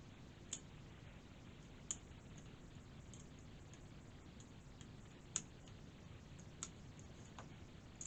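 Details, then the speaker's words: PS5 controller with left stick drift, stick removed and tested before desoldering: sparse, irregular sharp clicks every second or two with no motor underneath; the stick is suspected stuck in the up position, not confirmed. "so this lipstick is definitely a problem here and I think it's stuck in the up position"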